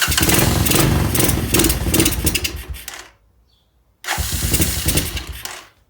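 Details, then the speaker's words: Neglected free 1986 Honda TRX200SX quad, single cylinder, first start after carburetor refitted, old fuel drained, fresh fuel added, petcock on reserve: fires with an even thump, dies, then catches and runs on its own with a little throttle. "she's a runner [Music] a little bit of throttle on so [Music] there you go she's running all right"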